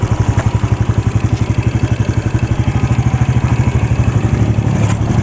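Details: Jupiter Z1 motorcycle engine, left side, before repair: a steady idle with a fast, light ticking of about four per second over the engine beat. The cause is a loose cam chain tensioner.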